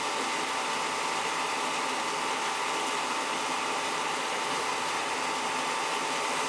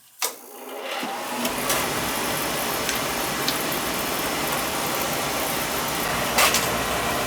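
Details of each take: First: Oil-fired boiler with Tjernlund power venter, not firing: constant fan rush and faint steady whine with no burner motor or flame roar; technician blamed the burner motor, doubted CAD cell. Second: Oil-fired boiler with Tjernlund power venter: click, short rise, then steady, even whooshing roar without rattles or cycling; venter and burner normal.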